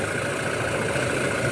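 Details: Toyota Hilux 2019 diesel, previously very noisy with no charging, after the alternator carbon brush repair: smooth, even idle with a steady low drone and no knocks, squeals or rattles; noise gone.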